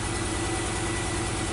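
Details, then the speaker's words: 2016 Nissan Note with the supercharged HR12 engine, about 80k km, code P0302, flashing check light, stalling and power loss, heard at the muffler: an uneven, lumpy idle with a regular stumble. Cylinder 2 misfire. "so what I like to do is go to the muffler sound okay so it definitely sounds like a misfire"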